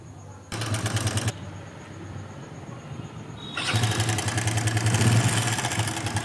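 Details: Hero Splendor iSmart 110 after fitting a tensioner spring: cranks, fires, and settles into a fast, dry metallic clatter at idle, worse than before; timing chain fully worn, needs replacing.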